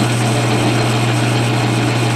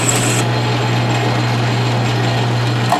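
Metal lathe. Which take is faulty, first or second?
second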